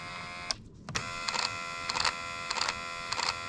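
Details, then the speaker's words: Driver's power window motor, door panel on and powered for testing; window goes down but not up. Whining motor hum broken by short buzzy chatter bursts about every half second; the window motor is failing. "we got a little motor here oh yeah hear it she was not happy with life foreign might have to take that apart see what's going on in there because it doesn't do it up only down"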